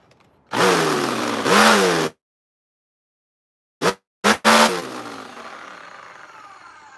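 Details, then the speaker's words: Hoover backpack vacuum switched on during repair: harsh high-speed motor roar in short bursts with rough, gritty edge and long raspy spin-down; motor suspected gone, worn bearings, not yet verified. "Yo, that motor sounds like it's gone. That motor sounds like it's gone, guys."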